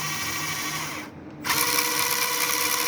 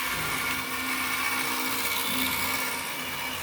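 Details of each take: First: SG Pinecone Forest 2402 1:24 RC, about 1.5 months old, lifted and run in reverse: clean steady high motor whine, no gear chatter or clicking; only the motor heard, unlike forward where the central gearbox makes noise and vibrates. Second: SG Pinecone Forest 2402 1:24 RTR RC car, about 1.5 months old, driving forward: high raspy whir with a gritty grinding edge from the central gearbox assembly with heavy vibration, much worse than in reverse.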